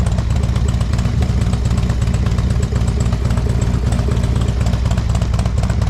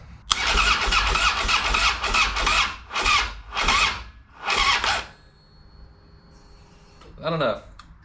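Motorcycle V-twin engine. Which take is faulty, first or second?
second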